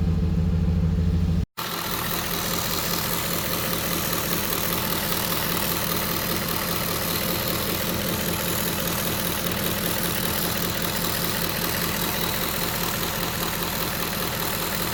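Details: 2010 Ford Expedition 5.4L Triton V8 idling: fine, dense buzzing chatter from the driver's side bank, cause unidentified; also hard cold starts despite new plugs, cleaned MAF and throttle body, fuel pressure 50-60 psi.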